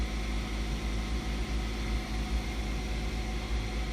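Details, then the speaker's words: 2008-2012 Ford Escape electric power steering at idle after a new EPAS torque sensor was installed (code B2278 fix); the system learns its end stops lock to lock, then steers smoother; steady even hum, no clicking, grinding or groaning; normal operation. "it's figuring out where the end stops are at okay now once it knows where the end stops are at then a much smoother"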